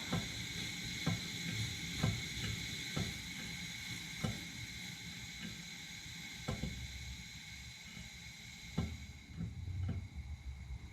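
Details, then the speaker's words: 1947 nickel Coleman 500 series stove just after valve knob closed: soft hiss with irregular pops about once a second as leftover vapour and blue flame sputter out; normal burner shutdown. "So, knob's closed. Still have some blue flame. It's spinning, sputtering out. Perfect. Just let it burn itself out."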